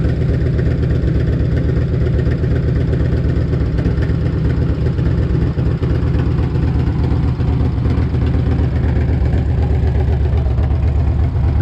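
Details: 1998 Harley-Davidson Electra Glide Classic, almost 100,000 miles, very hot engine, idling right after an oil change with 20W-50 Valvoline VR1 to fill the new filter; loud, deep, steady lumpy thump, no ticks or knocks. Normal healthy idle.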